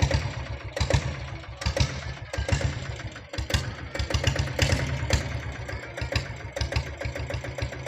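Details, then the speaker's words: Fully restored old Royal Enfield diesel Bullet after oil service and head work only, with no other engine work: slow, even, steady single-cylinder thump at idle with evenly spaced beats and no knocks. Normal, healthy idle. "வண்டி இன்ஜின்லாம் சூப்பராக இருக்குங்க. இன்ஜினில் நாங்கள் எந்த ஒர்க்கும் பண்ணல, oil service பண்ணியிருக்கிறோம், head வேலை மட்டும் செஞ்சுருக்கிறோம். பீட் சவுண்டு கேளுங்க."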